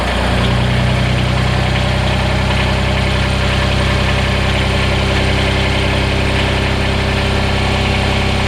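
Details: Kubota BX diesel tractor after a remote fuel filter install and fuel bleeding, idling to come up to temperature. A steady, even low rumble with no misses or knocks. Normal, clean diesel idle.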